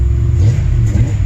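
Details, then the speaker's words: Ford F-150 with Summit Racing Windsor 302 V8, after swapping a troublesome FiTech for a Holley Sniper EFI; deep steady rumble with even beat, no misses or stumbles; now starts and runs like a different truck; normal running. "it's like a different truck is like a different truck he just starts runs droids now"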